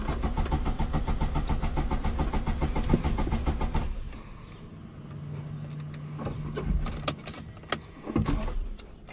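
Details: 1989 Suzuki Khyber/Cultus, G10 993cc petrol, 4-speed manual FWD: rough, uneven running that suddenly dies after about four seconds, then starter cranks again; engine stalling, cause unknown.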